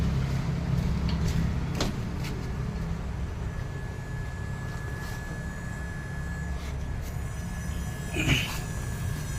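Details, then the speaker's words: VW Polo GT TSI with DSG that suddenly stopped moving in drive: with key on, engine off, the mechatronic pump hums continuously instead of cutting off after a few seconds, indicating oil pressure loss; mechatronic unit to be removed. "Now, if you can when I switch the key on uh you'll be able to hear the mechatronic pump coming on. It should come on for a few seconds and cut off, but it remains on continuously."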